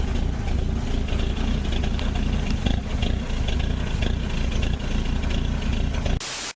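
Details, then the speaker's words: Old Ford Courier WL-T diesel cold start in summer, getting very hard to start: uneven lumpy idle with irregular knocks and stumbles; glow plugs removed to diagnose. "just seen how cold starts and that's pretty rough in it's not that cold a we're in summer and it's starting like like it's in Alaska"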